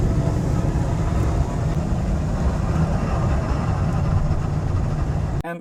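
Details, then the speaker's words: Old Chevy Silverado V8 pickup after P0300 misfire repair with new NGK coils, plugs and wires, EGR valve, MAF sensor and crankshaft position sensor: deep, steady rumble while driving, no misfire. "as you guys can see the truck running great doesn't have any misfire everything is perfect"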